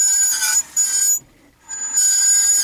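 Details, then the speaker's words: Citroen Jumper van jacked up, wheel turning: piercing high steady squeal cutting out briefly and returning, brake pads squealing on disc; before fitting new Bosch discs. Cause not confirmed. "вот такой звук издает такую мелодию классные назад кажись все серет ну как электричка блин"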